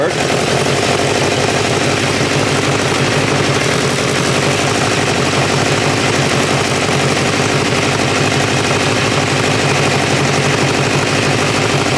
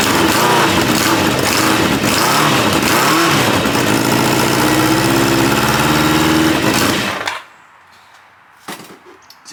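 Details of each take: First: 1986 Kawasaki Ninja 600R with a coolant leak, idling as it comes up to temperature: steady, busy idle with an even, fast patter and no missing beats, knocks or hunting. It runs nicely. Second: 1986 Kawasaki Ninja 600R, cold start, possibly without coolant: loud, lumpy, uneven beat then shuts off; sounds like running on three cylinders, possible exhaust leak, suspected not confirmed.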